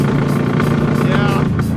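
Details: 1980 Chrysler Mirada big-block V8 Pro Street car on a road trip, running on possibly bad gas: pulls uneven and lumpy under load, never settling into a clean beat.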